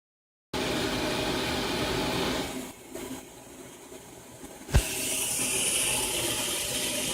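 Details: Steady loud rushing hiss of water flowing through pipes, briefly dropping then surging back; cause of the flow noise unknown.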